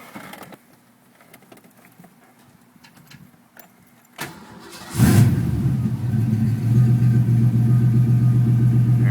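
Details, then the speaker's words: 5.0 Ford Mustang GT that intermittently stalls at idle (owner suspects the idle air control motor): it cranks, catches with a burst and settles into an even, steady low idle without stalling. The fault was not reproduced here. "it's idling good."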